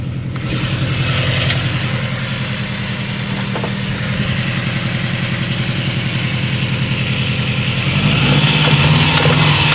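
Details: Subaru EJ20K engine at idle with a rhythmic knock of about three or four per second, growing louder as revs rise near the end; engine knock, cause unconfirmed.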